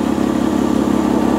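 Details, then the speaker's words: 1995 Lexus ES300 at idle has a loud, blatty, raspy puffing from underneath from a leaking exhaust flex pipe; the owner says it is quiet at 75–80 mph. "I've driven this car and it's so quiet going down the road at 75 80 mph I don't even notice it but that's up to you if you want to fix it"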